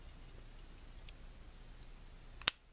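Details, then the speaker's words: Springfield XD pistol fitted with Powder River Precision trigger kit, reset check: single crisp click with no grinding or catching; normal trigger reset. "there should be no grinding or catching or anything you can hear the click and feel it in your finger and then press do that again"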